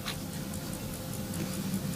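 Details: Cleaned and reassembled American Waltham 17-jewel pocket watch, hands set, case cover on, freshly wound after service; crisp, even ticks about five per second with steady beat, running as it should.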